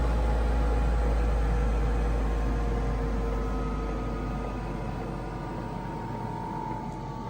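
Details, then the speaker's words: Newly installed diesel heater in a VW T4 van on setting 20, warming up: steady low burner roar with soft regular fuel-pump ticking about four a second, slowly settling; runs fast until warm, normal. "It runs a little bit fast for a bit until it gets warm."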